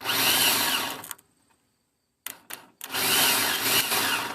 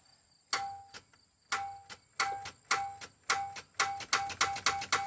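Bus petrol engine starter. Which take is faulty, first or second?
second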